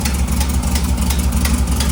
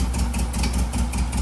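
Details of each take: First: A low, steady putter at idle with only slight wavering and no ticking or clatter. The rebuilt air-cooled engine of a 1958 Karmann Ghia runs healthy on first start after the valve rocker clearances were adjusted and the carb swapped. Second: 1958 Karmann Ghia air-cooled flat-four that kept wanting to die, checked cylinder by cylinder: cylinder 3 responds, cylinder 1 gives no response; uneven idle with a regular low thump about five times a second from a dead cylinder; valve lash out of adjustment.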